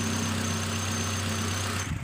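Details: Nissan X-Trail T31 2.5 petrol with CVT after replacing worn iridium spark plugs: steady, even low hum at idle with no stumbles, coughs or shaking; misfire and vibration gone.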